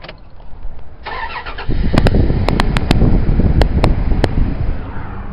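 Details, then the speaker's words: Dodge 5.7 engine with tunnel-ram type air intake, 13 years old, about 74,000 miles, which owner says never exceeds 160 degrees; a short crank, then it catches quickly and settles into a steady, even low rumble, a clean, healthy start. "I'm really hoping you could hear that just absolutely amazing start."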